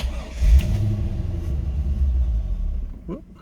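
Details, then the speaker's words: 2000 Corvette C5 sitting parked many years, fresh fuel and battery: engine fires and runs unevenly about two seconds then dies; starts briefly and stalls, fuel pressure suspected, not confirmed. "started for a second there let's try it again huh well i can hear it trying"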